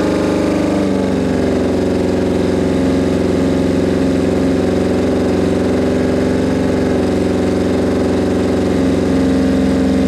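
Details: Suzuki Bandit 1200 at its first start after a rebuild, on full choke with the idle raised from very low: a low, lumpy idle with a wavering, stumbling beat. The owner says the carbs are badly out of whack and not yet synced.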